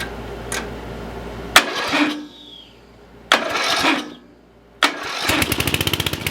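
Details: Murray riding mower single-cylinder engine that was locked, now with head back on and jumper box attached; few short cranking bursts then catches into quick even firing, smoking a little. Normal start.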